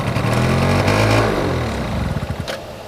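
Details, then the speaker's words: 2002 Yamaha Razz two-stroke scooter, kick-started: fires and buzzes about ten seconds, then beats slow and falter as it dies, shorter runs on repeat restarts; stalls after starting, owner suspects fuel starvation from a clog. "but it does not appear to be getting uh gas um if you let it sit it'll it'll fire up again as it just did runs for I don't know 10 seconds and stops"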